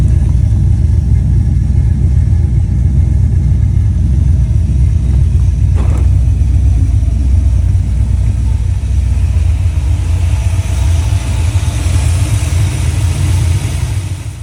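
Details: Ford Fox body V8 after a roller conversion, Duraspark removed and a distributor fitted: a loud, deep rumble pulling hard with a crack midway, missing and hesitating under load until about 3000 rpm; owner suspects the timing needs adjusting.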